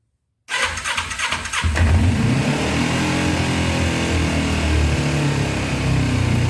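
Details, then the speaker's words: 2000 Kawasaki Ninja 250 twin bought cheap, cold start on a sticky choke: catches after a brief crank and only keeps running on choke with throttle held high, dropping off without revs, suggesting a fuelling problem; won't idle without choke. "All right, guys, I don't like revving a cold motor like that, but right now I'm just running with the choke."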